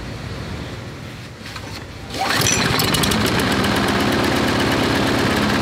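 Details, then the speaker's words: Briggs & Stratton 5-6 hp flathead lawnmower engine, measured about 2160 rpm before bending the governor lever: picks up and settles into a steady but lazy single-cylinder beat; governed speed set too low. "first okay so it was 2160 i just wanted to show you that"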